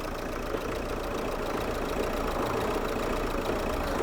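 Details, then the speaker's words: 2003 Hyundai Santa Fe 2.0 CRDi diesel just after a timing belt replacement: starts easily and settles into a steady, even diesel clatter at idle with no knocks or misses. The injectors may need time to program in. "now you can hear the engine a lot better now just to start up the injectors just need a bit more uh time to program in I think"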